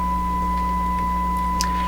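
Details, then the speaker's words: Sparton 1567 tube radio under shortwave band tests, some bands suspected dead: signal-generator test tone, clean steady about 1 kHz with faint hum beneath, received very strongly on this band; signal received normally. "that's a huge that's better that's a very strong signal any radio should pick it up"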